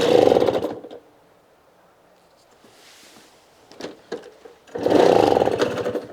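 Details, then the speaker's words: Simson SR2 two-stroke moped from the DDR, first start, loose condenser connector: crisp buzzy note in short revving blips, clean with no misfires; sounded nice and beefy. "this just started and it actually sounded pretty pretty nice and beefy"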